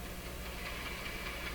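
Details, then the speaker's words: Nordmende Norma Luxus tube radio on FM with only a wire antenna: faint hiss with soft repeating chuffing bursts a few times a second; interference from the nearby soldering iron. "you shouldn't hear that on a fm radio but again that's my soldering iron doing that"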